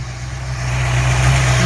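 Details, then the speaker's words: 1983 Ford Mustang Fox body after fitting a different carburetor and adjusting throttle stop; low, even rumble settling to a steady idle, no longer hanging high (secondaries had been open): normal idle. "So we can hear this thing run now. This thing sounds good."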